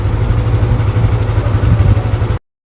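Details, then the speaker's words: Lexi scooter with 60 mm bore kit rebuilt elsewhere, after repair: cracked camshaft bearing replaced (noise had resembled crankshaft knock; thin oil, sealant found). Now idles with a steady low hum, no knocking, ticking or rattle. "หลังจากเราทำเสร็จแล้วนะครับเราก็จะมาชมคลิปตอนทำเสร็จนะครับว่าเสียงจะเงียบๆเหมือนรถปกติมนะ"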